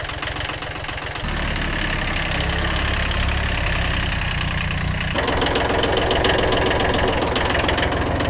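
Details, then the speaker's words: Kubota B7100 tractor after replacing chipped gearbox gears and worn bearings: diesel chugging then revving with a smooth even drone, no gear whine or grinding; normal running. "all the gears work perfectly everything meshes together no more horrible noises in the gearbox so problem solved"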